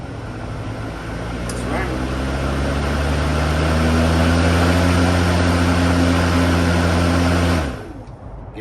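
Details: Worx electric mower after reseating an improperly seated motor brush that had caused a no-start. The motor spins up over a couple of seconds to a steady, clean hum, then winds down smoothly. Normal running after repair.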